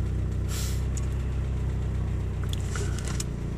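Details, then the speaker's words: Cold start of a 1989 Geo Tracker warming toward operating temperature, idle dropping from 1100 to 1000 to 900 rpm, with a light ticking about four per second; valve tapping, prominent at 1000 rpm. "you might be able to hear the valve tapping now yeah you should be able to hear that in the video now we are now at a thousand rpm the valve tapping is pretty prominent now"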